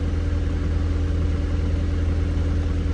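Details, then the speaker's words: Cheap scrapyard-saved Mk1 Audi TT, just started with a jump from another car after being de-immobilised, engine management and airbag lights on; steady even low hum, no knocks or misses; idling fine. "Obviously the immobilised light's on because it has been deimmobilised, so that's normal, but they're fresh. Seems to be idling fine."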